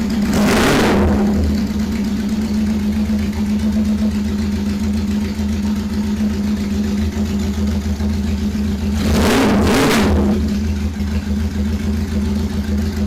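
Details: 1977 bike (KZ1000 or CB750) cold start. Catches and settles into a steady, even idle with two brief throttle blips, no misses or knocks. Normal cold start and idle.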